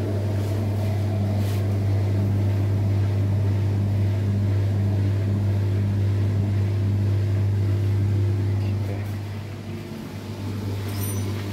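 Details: LUX front-load washing machine that filled but whose drum would not turn in wash or spin, after motor pulley bolt (5 mm hex) was tightened and belt checked: steady low motor hum, even drum rhythm, no slipping or scraping; drum turning normally.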